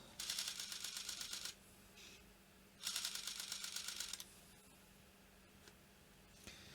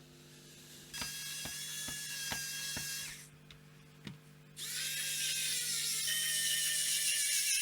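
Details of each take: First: Sony D-EJ621 portable CD player after cleaning corroded battery terminals: two bursts of rapid clicking as the pickup seeks its limit switch, laser not starting; laser ribbon cable or gear meshing suspected, not confirmed. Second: Sony D-EJ621 portable CD player after repairing battery-terminal corrosion that stopped it powering on: light clicks then clean disc spin-ups as the sled centers and focus servo bobs the laser; normal operation.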